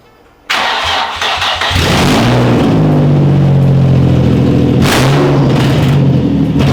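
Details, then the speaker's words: Nissan 350Z running open headers with no exhaust fitted: engine catches, blips, then settles into a loud, raw, booming drone at idle; open header exhaust noise. "I got to show you guys how atrocious this sounds right now"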